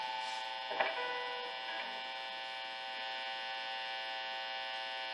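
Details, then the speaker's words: Telecaster-style guitar through amp modeling, hands off metal: steady loud bright mains buzz that quiets when touching bridge; neck pickup ground disconnected and cover ungrounded after 4-way selector switch mod. "what happened was is that when I had my hands off any of the metal parts it was this buzz while I was touching anything metal has to do with the bridge it would quiet up"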